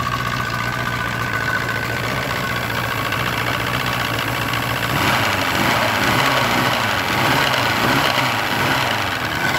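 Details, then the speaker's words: Force 120 (Mercury) 1999 two-stroke outboard off a Bayliner, warmed up, silencers removed: steady, even idle with a fast regular beat and slight speed lift midway; runs very well. "но что он прогрелся работают очень хорошо"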